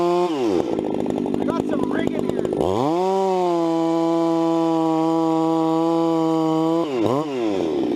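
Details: Vintage 266 chainsaw, recently started after sitting a while, bucking firewood: screams up to a steady high pitch, drops and holds firm in the cut, then revs clean again; normal, healthy running under load.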